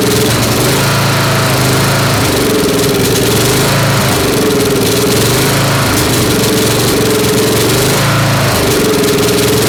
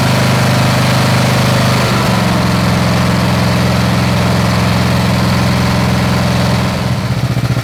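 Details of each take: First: Snapper SR-series mower with 10HP Briggs & Stratton, stored 10 years, aftermarket Amazon carburetor with 0.030 in jet, full choke: uneven running, missing from the exhaust every couple of seconds, needs tuning. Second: Snapper SR-Series mower with 10HP Briggs & Stratton single-cylinder engine, stored 10 years, on a tuned Amazon aftermarket carburetor with fresh treated fuel: even thump at steady speed, no hunting or misses; running good, air cleaner makes a difference.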